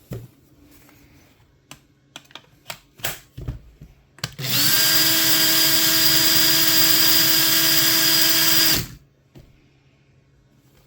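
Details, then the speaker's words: Makita 18V drill that was running slow and smoking (suspected melted motor), after repair: clean steady high whir for about four seconds, constant pitch, no grinding or stutter; works again. "Well, it's not as pretty, but it works."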